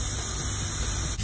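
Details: Truck trailer in a lorry park: constant, steady hiss of compressed air escaping at the trailer brake valve with no let-up; air brake leak.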